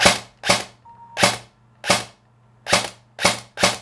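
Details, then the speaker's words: Airsoft gun fired in semi-auto while adjusting motor height: seven crisp single shots about half a second apart, with no grinding or whine, meaning the motor height is set at the smoothest spot. "now the idea here is to keep firing this until it sounds the smoothest has the less grinding and the least whiny"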